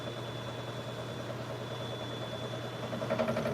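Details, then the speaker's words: Woodturning an oak burl on a lathe: steady low drone with a dull, uneven rumble while the piece spins; chuck runs true and tenon is tight, source of the rumbling vibration still unknown. "Getting some sort of vibration in like I'm not quite sure what it's coming from."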